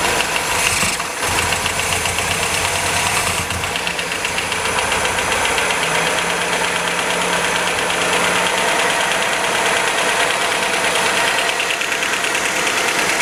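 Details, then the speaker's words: 1977 MGB off the road for many years, with the timing only roughly set; fires up and holds a fairly steady, even run with no misses but some tappet rattle; normal running. "we'll do the timing properly in due course but she sounds good A bit rattly as I say but we can get that sorted that's the tappets"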